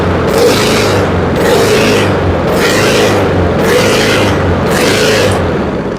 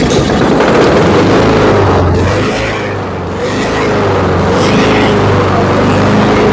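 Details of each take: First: Honda HRX217 lawn mower surging: engine speed hunts up and down about once a second instead of holding an even idle. Oil is very dark. Suspected dirt in the carburetor, which was removed, cleaned and drilled to fix it. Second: Honda HRX217 lawn mower after carburetor cleaning, jet drilling and new air filter: engine holds steady even speed with no rise and fall; surging fixed, spark plug and oil change still pending.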